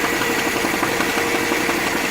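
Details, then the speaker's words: 2010 Mini Cooper Clubman idling: a quick steady knock in time with engine rotation persists after replacing the timing chain tensioner and friction wheel. Vibration is felt at the friction wheel; pressing its plastic cover changes the pitch. "You can feel the knock and change a little bit of the pitch by securing this plastic covering on the friction wheel."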